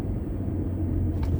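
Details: Ford Escape after rear suspension parts replaced, driving at about 84°F: low even road rumble under gentle braking, no squeak, clunk or scrape from rear; earlier rear noise under braking possibly from brakes; quiet brakes and suspension.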